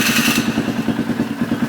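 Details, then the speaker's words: Polaris Sportsman 500 single-cylinder ATV after carburetor rejetting, even fast settled idle around 1250 rpm with no hunting or surging, possibly running slightly rich by design; normal idle. "that sounds much better e so I like a title around [Music] 1250 sounds like or it kind of sounds like it's running a bit Rich"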